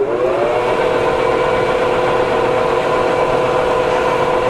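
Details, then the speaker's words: Cheap used non-CNC manual lathe, chuck running in reverse: steady even gear whine with clear tone near 500 Hz, no knocks or grinding; sounds pretty good. "âm thanh khá tốt cho đến nay và tôi đoán bạn nhấn bàn đạp nó sẽ tự động dừng"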